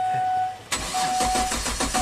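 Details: 2005 Kia Sorento 4x4 with intermittent stalling that became a permanent crank no-start, fuel pump and crank sensor already replaced: quick, even cranking with no firing; crank no start the dealer blamed on a failed engine control module.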